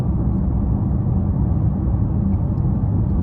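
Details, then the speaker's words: 2014 Chevrolet Impala at 65 mph on the highway after new tires were fitted: even low rumble with no rhythmic thumping or vibration drone; the earlier noise is no longer heard. "Okay, we're doing 65 right now. And I'm already not hearing it. I would have been heard it, so I can already see like the tire"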